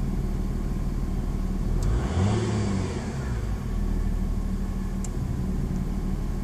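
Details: VW Passat TDI V6 diesel under acceleration: faint droning whine tracking revs, louder in lower gears at high rpm, gone in top gears; recent onset, source unknown.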